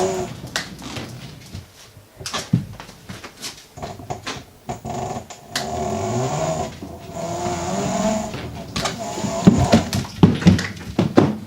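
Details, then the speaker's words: Meepo electric skateboard, rear left hub (the wheel that broke off in an accident; owner fears bearing damage): a rough growl rises and falls with the motor whine, with scrapes; hub motor grinding while riding. "It is really making a lot of growling, grinding noise when I go here."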